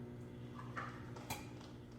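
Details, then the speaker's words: Microwave arcing inside every time it starts: steady hum broken by two sharp crackling snaps as it sparks at a burnt waveguide cover plate, which is to be replaced. "Anytime I start my microwave is arcing like some kind of a spark inside."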